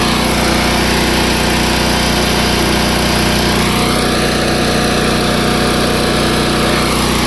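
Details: Long-parked trailer crane's small engine, started on choke from a jump box: runs fast and even with a steady buzzing drone and no stumbles, warming up cleanly.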